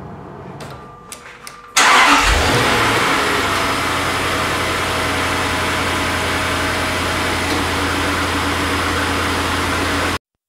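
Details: 2004 Jaguar XK8 cold start after oil pressure was raised first by cranking about six times with fuse pulled; quick catch and flare, then even idle with no loud start-up chain rattle; clean quiet start.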